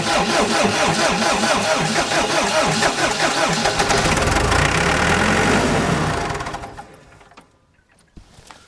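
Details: ASV PT-100 forestry track loader diesel, which died while mulching, fuel system air-purged, glow plugs used after a cool night; even starter cranking about four turns a second, then catches and runs up before shutting down; healthy start.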